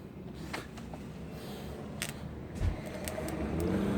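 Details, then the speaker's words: GY6 scooter starter motor bench-tested with at least 12 volts applied directly: after handling clicks and low rumble, it whirs up to a steady, even free spin. "that's what it needs at least 12 volts directly to it to be able to spin like that"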